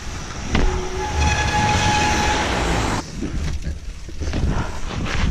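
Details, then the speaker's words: Mountain bike disc brakes howling under hard braking on a wet ride, a sudden loud honking tone rising from low to higher for about two seconds over rolling noise; pads suspected overdue for replacement. "That is the grimmest noise."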